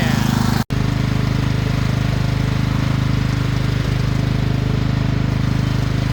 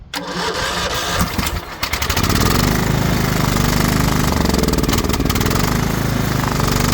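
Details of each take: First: Craftsman LT2000 riding mower: small single-cylinder catches fast and settles into a steady, even putter with no misses or knocks; running normally. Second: Craftsman LT2000 riding mower, battery dead so jump-started from another tractor, spark confirmed: steady starter churn, engine turning over evenly but never firing; cranks without starting because the tank is out of fuel.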